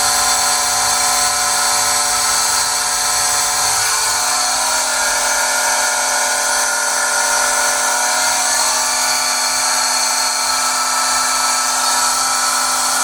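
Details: Pentair SuperFlo VS 1.5 HP variable-speed pool pump: a loud, steady high-pitched screech rides over the motor hum without letting up; the motor is squealing, cause not yet found.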